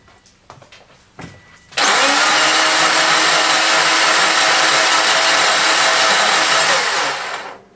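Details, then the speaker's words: Flood-damaged Subaru Forester XT from Houston salvage, first crank attempt with WD-40 sprayed in cylinders; harsh loud grinding roar with steady whine about six seconds; engine spins but sounds rough, suspected flywheel rust or rings cleaning corrosion from cylinders. "It's spinning, right? Oh yeah, it sounds pretty horrible, but Yeah, it it spins."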